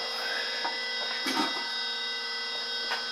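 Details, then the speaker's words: Levoit LV600HH hybrid ultrasonic humidifier, before repair, running and misting: a steady raspy rattle with a thin high whine and scattered scrapes from a dry internal fan caked with white calcium scale; oiling the fan stopped the noise. "it is it is making lots of mist but it's making a racket in there oh yeah so let's unplug it probably needs some oil or something"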